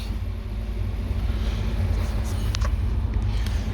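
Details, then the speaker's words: 2018 Infiniti Q50 with a CAN bus fault, after reconnecting the ABS and transmission network wires: the engine cranks and settles into a steady, even low rumble with no misses or knocks; engine running normally. "so i said let me try to start it and guess what it cranked up it's running the engine is running but"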